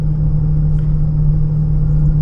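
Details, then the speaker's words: 2014/2015 Honda Pilot with 64,000 miles, cabin recording while driving: a steady low drone that gets louder when steering left and quieter to the right. This points to a worn driver's-side wheel bearing rather than the VTM transfer case. "left a little bit increasing then go to the right when you pull it on the right it kind of quieter so on a bearing anytime you pull to either side increasing noise level okay that would lightly the bearing"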